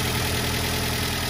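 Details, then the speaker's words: 2005 Daihatsu Xenia Xi 1.3 manual, 190,000 km, AC on and cold: steady, even idle with a faint AC hum, no ticking or stumble; engine smooth at low and high rpm, healthy. "Oke, halus. Hanya ada suara AC aja, enggak ada yang keletek."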